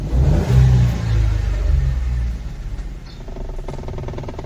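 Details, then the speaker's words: Mahindra KUV100, loud-then-fading knocking/clattering rattle (about 2–3 knocks a second) from inside the HVAC assembly under the dashboard, below the handbrake area; mechanic suspects evaporator and heater core (heater coil) problem. "यस्तो कटाटट आवाज आइरहेछ। यसै हाम्रो problem end symptom चाहिँ यस्तो खालको छ। यो हाम्रो HVAC एसेम्ब्ली भित्रबाट आइरहेछ।"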